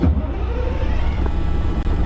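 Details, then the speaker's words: White GMC diesel truck just started with ether, puffing lots of black smoke: deep, low idle, rough at first then settling, slightly uneven. Running after a hard start; owner thinks it lost prime. "well folks she is running not sure what happened cranked on her threw some ether in there uh she puffed out a bunch of black smoke"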